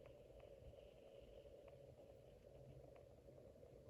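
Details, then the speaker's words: Casablanca 19th Century ceiling fan at speed four: a steady low hum with faint ticks, amplified because the motor is mounted metal to metal with no rubber; bearings possibly wearing. Motor hum transmitted through rigid metal mounting. "Since there is no rubber of any kind in between the motor and the blades and all that, it's nothing but metal to metal. So when you change the speeds and when the motor runs, it's really amplified."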